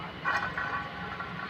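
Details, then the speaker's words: Maruti Suzuki Wagon R front wheel bearing: hub spun by hand gives a gritty, uneven rumble with rough grinding pulses; it causes humming at 60–70 km/h and jerking when turning; bearing worn, to be replaced. "ഇതാണ് നമ്മളൊരു 60-70 ആ കിലോമീറ്ററിൽ പോകുമ്പോൾ മൂളുന്ന sound. അതുപോലെ wheel നമ്മൾ വളമൊക്കെ തിരിയുന്ന സമയത്ത് ഒരു ജെർക്കിങ് സൗണ്ടൊക്കെ ബെയറിങ് പോയാൽ നമുക്ക് ഫീൽ ചെയ്യും."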